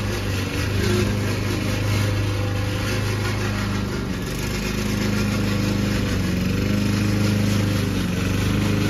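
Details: Old Toro Recycler mower cutting Kentucky bluegrass, binaural recording: the engine runs with an irregular rattling clatter that varies while cutting. The noisy drive system was later fixed with WD40.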